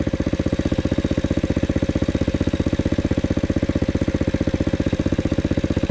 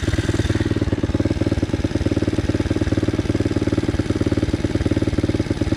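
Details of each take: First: Loncin 110/125 single-cylinder, about 6 hp, pulling up a slight hill with little throttle: even, regular thump holding its beat under load; healthy engine. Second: Loncin 110/125 single-cylinder engine during break-in testing, about 10°C: fast, even putter near 140 beats a minute with a slight lumpy edge; fuel spilling from the carburettor, flooding.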